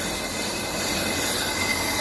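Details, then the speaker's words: Roughly 40-year-old Ammco bench brake lathe resurfacing a worn brake rotor with thickness variation, lip and runout; steady, even, quiet high hiss from the cutting tool with no chatter or squeal, a normal smooth cut. "listen how quiet that is 40y old probably maybe even older bench L"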